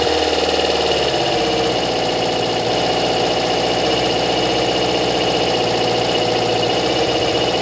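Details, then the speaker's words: Kawasaki ZL600 motorcycle with new coils, tuned carbs and valves done, after plug leads were swapped; cold, coolant hoses off, smoke from both exhausts: engine catches within a second into a fast, even, raspy beat with no misses or knocks; normal running. "man oh my god guys it sounds brutal don't worry about the um the coolant hoses aren't attached it sounds oh my god it's not even warm guys it sounds brutal"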